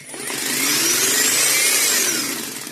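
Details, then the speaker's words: Small 40 V Taiheui motor on a 40 V AliExpress switch-controlled board, powered by two batteries in series: high whine spins up, holds about a second, then winds down and stops by itself. Motor cutting out, cause unclear. "Là, le moteur s'arrête."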